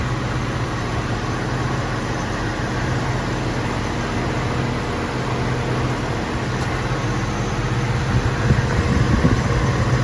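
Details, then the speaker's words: Jeep WJ 4.0 after replacing the ignition coil and plugs for code P0351 (coil bolts not yet tightened); an even, steady idle with no stumble or shaking, so the idle is normal. "ตอนนี้ก็คือทุกอย่างกลับมาทำงานปกติแล้วนะครับเครื่องยนต์เดินเรียบดีปกติไม่มีสันะครับ"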